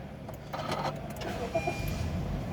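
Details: After cleaning and adding an extra ground wire to cure hard starting and slow cranking: starter catches on one click and engine settles into steady run, no long cranking or stumble; clean easy start.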